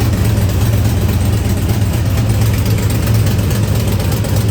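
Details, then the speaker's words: Cammed V8 truck (about 450 hp) remote-started before header gasket replacement and oil change: loud, lumpy idle with a raspy puffing edge over the low rumble from an exhaust leak at the front left header gasket. "even with the exhaust leak it still sounds pretty damn good oh yeah I still think it sounds pretty damn good but once I take the truck out and then show y'all the front because the front is where the exhaust leak is at"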